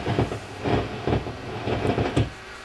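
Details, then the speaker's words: Hartke HA3500 350-watt bass amp: irregular popping and crackling bursts, about three a second, when graphic EQ is switched in; fault in graphic EQ stage, suspected one of its quad op-amp chips. "right so it's in the graphic eq side of things and that will mean it's um going to be one of the chips associated it'll have a quad op-amp or something associated with the graphic eq side"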